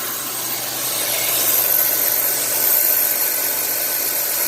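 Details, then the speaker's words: 1990 Chevy Lumina 3.1 V6 at idle after serpentine belt tensioner replacement: a thin, steady high-pitched squeal persists; owner suspects the new belt and may replace it, cause not confirmed. "Quiet as a mouse. Heck yeah, buddy. And it's still got a squeal."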